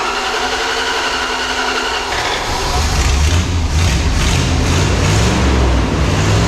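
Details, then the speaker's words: Tucker snow cat after fuel metering/heat riser work: engine catches and settles into steady even idle without stumbling or misfire, metering fuel properly; oil likely fuel-diluted, tune-up still needed. "well it runs it idles it meters fuel fantastic"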